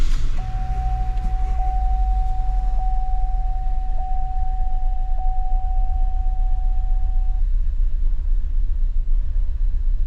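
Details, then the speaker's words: 2016 Chevy Trax with small turbocharged engine at low idle: uneven, lumpy running with a shake in the rhythm, dead misfire on cylinder 3 despite new spark plugs and coil pack; compression check planned, no compression suspected. "Let's go ahead and see if this thing yeah, we've got a dead cylinder, unfortunately."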